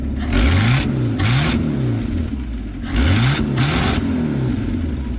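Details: 1950 Buick Super, 263 engine, just after new accelerator pump and needle and seat fitted in the carburetor: revs rise and fall cleanly on each blip without stumble; exhaust gasket leaking slightly louder than normal.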